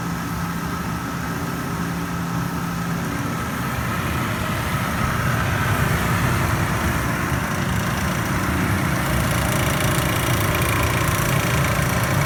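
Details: Panda PAN760SF 3.75 cu ft dryer after fan belt replacement: steady low motor hum with rough, uneven grinding chatter throughout; faulty drive motor, noise gone after replacement motor fitted.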